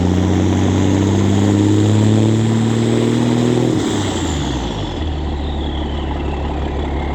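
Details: 2004 International school bus (Skoolie/toy hauler) with 2002 International DT466e 7.6L inline-six turbo diesel, pre-emissions, after muffler removal: steady loud unmuffled straight-pipe rumble with low drone and turbo whistle easing as revs drop.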